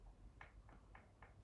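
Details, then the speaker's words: New AIM controller recorded with an iPhone 14 Pro Max internal microphone: the right thumbstick makes about five light plastic clicks every quarter second before R3 is pressed, loose and rattling in its mount. "Then uh the next thing is that we have a rattling right stick before pressing R3."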